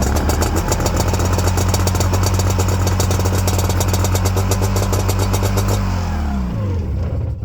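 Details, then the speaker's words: Old Ultranautics Jetstar jet boat being revived, running after fuel line and primer bulb work; steady, even low drone holding pitch, then clean wind-down at shutdown, a healthy idle. "runs good but uh here's the problem I was going to go try this out but I guess you can't tell in video but it's like a tornado here it's Mega windy"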